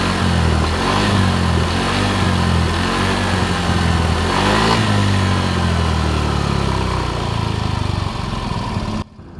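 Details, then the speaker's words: Yamaha Mio Soul GT 125 scooter after rebuild with cylinder block and piston replaced and oil changed: even steady idle with clean blips, no knocks or rattles, no more smoke; engine running healthy. "Oke teman-teman motor pun sudah nyala sudah tidak ngebul lagi dan suaranya pun sudah halus ya teman-teman"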